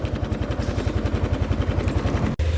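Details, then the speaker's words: 2017 Yamaha NMAX scooter at idle: a heavy, lumpy throb at about ten pulses a second with rough engine sound and violent whole-body vibration. "untuk mesin e motor suaranya kasar dan tentunya juga untuk ke body juga bergetar dengan hebat sangat luar biasa Untuk getarannya ya"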